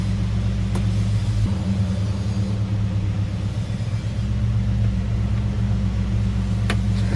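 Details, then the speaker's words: Dodge Super Bee with a rebuilt 383 V8, no air cleaner yet, cold: a deep, even settled idle with no ticking, knocking or stumbling. Oil pressure is about 35–40 psi; it sounds healthy. "Pretty much running good. We have like 35, 40 PSI of oil."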